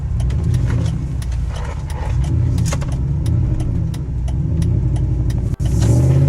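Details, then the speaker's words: Dodge Dakota driving, temperature steady and shifting fine: deep, loud exhaust rumble booms steadily under the cab, far louder than stock; straight pipe fitted in place of the exhaust is the suspected cause. "quiet so yeah the straight pipe that whatever the exhaust you just put a straight pipe yeah so i guess that's what it is it's loud"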